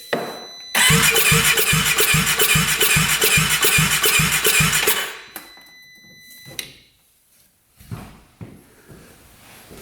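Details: 2017 Polaris RZR 570 UTV with a no-start problem, cranked to check injector spray: steady, even cranking at about two and a half turns per second for four seconds, then stops without firing. Injector mists finely, so fuel delivery looks fine.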